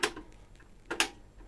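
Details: Pioneer CT-P720WR dual cassette deck (Pioneer SX-P720 system), before repair: eject door snaps open fast with sharp plastic clacks; a damper wheel on the door is missing, unlike the slow other deck.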